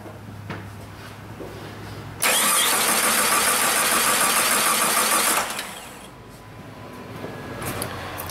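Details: 2001 Jeep Grand Cherokee 4.0 I6, towed in with crank/no-start and code P0320, ignition coil already replaced: three seconds of steady starter cranking, about three beats a second, never catching. Failed crankshaft position sensor, which was replaced.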